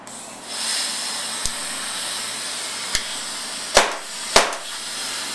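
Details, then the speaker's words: Tippmann TCR paintball marker tuned to 46 J peak, fitted with an X7 barrel and fed by CO2 instead of the planned 850 psi XPA tank. A constant sharp hiss runs under a few loose clicks and taps; gas is leaking and the setup isn't working well. "kind of not working. You hear that leak? You hear that leak right there? So I think not really working well with the CO2."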